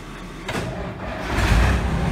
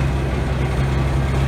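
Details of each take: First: Truck engine started before its muffler is fitted: cranks and catches, then settles into a steady, even low rumble with a deep exhaust note. Normal idle. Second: what it sounds like with a big exhaust leak and a muffler on it.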